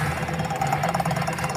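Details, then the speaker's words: Electric scooter with a starting problem, on the double stand, key switched on: rapid, even knocking about ten per second over a low hum from the hub motor; on throttle it jerks without running; battery voltage is slightly low, and the controller, hall sensors and phase wires are to be checked. "देखा दोस्तों, ये hub motor से आवाज़ आ रही है ऐसे, ये देखा आवाज़ सुन लें।"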